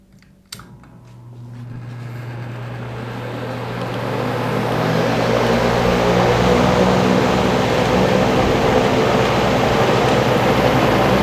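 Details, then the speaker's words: Dayton/Grainger 2MA11 24" ball-bearing box fan on low speed with the factory capacitor, measured right at the fan: a loud, steady rush of air at about 70–73 dB and roughly 1250 rpm, far too fast and loud for low speed. "okay so that was about 70 decibels or so on low speed"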